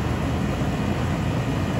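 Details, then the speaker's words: 2005 central AC outdoor unit that was blowing warm air, after cleaning a very dirty condensing coil and fitting a new Titan HD dual run capacitor. Steady low compressor hum with an even fan rush, no rattles, buzzing or cycling. Normal running. "hear that compressor hum in the background with a nice clean coil now"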